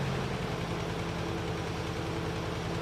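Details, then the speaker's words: Nissan 200SX (S12), about 40-year-old single overhead cam turbo petrol engine, idling lumpy and uneven as cylinder 2 intermittently misfires, between spells of smooth running; owner hopes fuel-system cleaner will free injectors. "Last time, we determined that the 200 runs like occasional garbage. As you can hear, it occasionally runs spectacularly well."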